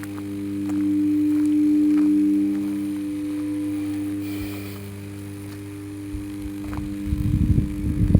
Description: 400/220 kv substation 500 mva transformer humming sound ....